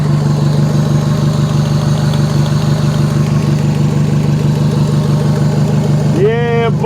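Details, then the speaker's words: Demo derby car in Western Australia, just revived. Loud idle with a rapid ticking puff and an uneven, stumbling beat of about three pulses a second; exhaust manifold leak, and it sounds like it is missing. "Got a exhaust manifold leak. Sounds like it's missing."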